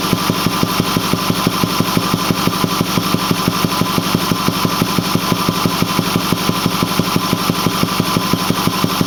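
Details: Ford 6.4L diesel at 208,000 km (129,000 mi), Banks 6 Gun and Ram Air cleaner, idling: steady dull thumping from the intake about 1.5 per second; runs smooth, full boost, cause unknown.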